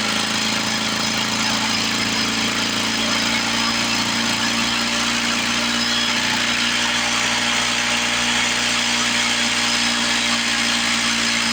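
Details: 1970 Lawn-Boy Buttercup two-stroke mower (model ~30237), run after carb spray cleaning: buzzy, raspy idle slowly hunting up and down; owner suspects old gummed fuel or a sticking needle valve in the carburetor, otherwise running pretty good.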